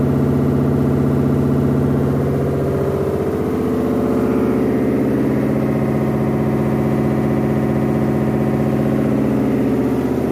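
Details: Samsung WF106 washing machine during spin: loud rumbling roar with fast rhythmic thumping from worn drum bearings and a broken spider arm; machine switched off on hearing it.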